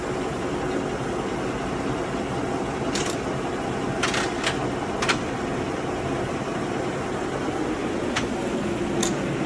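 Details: Cincinnati No.5 milling machine, Cat 40 spindle, set up on 440 volt: quiet steady hum with soft whir and only a few faint ticks; runs smooth and even, healthy.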